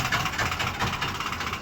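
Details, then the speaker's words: 2007 Chevy Express with newly replaced and programmed PCM, no-start complaint: steady starter churning about five pulses a second keeps cranking after one brief touch of ground with a test light; starter stays engaged. "It's just cranking away. It stays cranking. The second you touch it with ground, it continues on cranking."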